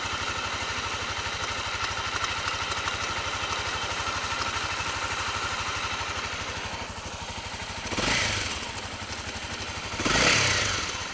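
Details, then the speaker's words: Honda CRF250L with EJK fuel controller, idling at a stop in first minutes of riding, clutch in or out: rapid light top-end clatter between two throttle blips, fades after a few minutes; cam chain tensioner knock. "it starts making the noise and uh I'll hear it when I stop for a light or whatever and uh regardless if the clutch is engaged or not it'll do it"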